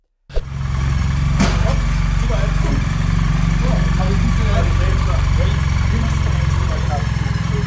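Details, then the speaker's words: BMW R 1300 GS boxer with a cold engine: a busy mechanical clatter over a steady low hum at about four beats a second. The hum is said to be heard only when the engine is cold. "abbiamo letto i commenti negativi a riguardo nei social dove abbiamo postato questo video e vi possiamo dire che solo a motore freddo si sente questo ronzio"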